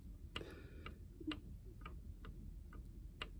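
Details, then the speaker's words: 1929 Ford Model A Tudor distributor, possibly not apart in over 60 years: light metallic clicks as the loose breaker plate is rocked by hand; play is in the plate groove, not worn shaft bushings, so points ground when the spark advance lever moves. "there's that much play... and it's not in the shaft here.. you're thinking, "oh, it's just the distributor shaft bushings are bad". it's not in the shaft... it's in the plate.. in this groove. there's that much movement in the groove."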